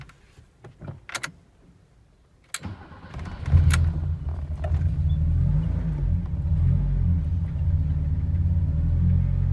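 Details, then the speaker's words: BMW 518 with M10 engine, manual, on BC Racing coilovers: engine cranks and catches into a steady, low, even idle with no knocks or rattles; sounds good, normal start and idle. "Sounds good so far."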